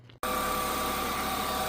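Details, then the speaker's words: BMW E36 328i at idle: steady, fairly high whine from a brand-new remanufactured power steering pump that is still noisy; owner plans to swap in a low-mileage genuine pump of about 17,000 mi and flush the system. "You can hear that my power steering pump is a little bit noisy. And the problem is the problem is that this is brand new remanufactured pump and it's still not good."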